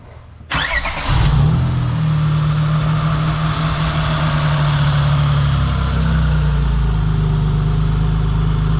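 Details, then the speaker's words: Engine just after a valve adjustment: it settles into a steady low drone with a constant hum and no valvetrain ticking. Normal, healthy idle. "Not a thing. Not a thing. That's like, I'm gonna have to start hiring this guy to do my valve adjustments for me."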